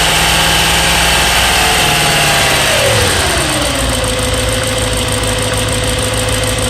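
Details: BMW E92 M3 S65 V8 at 65,600 miles, oil changed 300 miles earlier, idling with a fast, light ticking as idle settles lower; ticking developed cold and is quieter when warm but still present.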